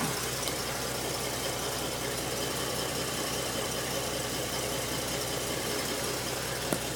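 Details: Jaguar V12 in a Nemesis kit car, no factory timing marks, timing set from found top dead center and checked with strobe: smooth even idle, steady fine whirr, no misses or knocks; timing appears spot on; normal idle.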